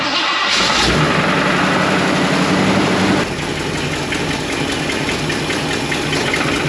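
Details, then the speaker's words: 1977 Ford Mustang II engine in a 1969 Mustang Mach 1 with bad piston rings, oil from breather and exhaust: cold start then steady idle with a loud regular knock about four times a second; bottom end knocking. "I don't know if you could hear that on the camera, but it does knock pretty loud."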